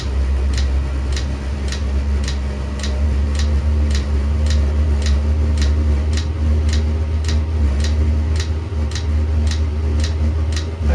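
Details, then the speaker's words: Ebay 8 kW Chinese diesel heater running off a spare car battery in thermostat temperature mode, fuel primed, now lit. It gives a low steady hum with the pump clicking about twice a second. Exhaust temporarily routed outside. Normal running. "primed up the fuel it sounds like it's lighting now hear that kind of low hum"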